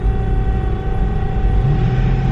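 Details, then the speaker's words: Mercedes CLS, sputtering and rocking at idle with no codes: after a slight throttle blip a deep steady rumble hangs at raised revs and won't settle; hanging idle, cause unclear. "Now look at that, I just gave it a little bit of gas and the RPMs don't really want to"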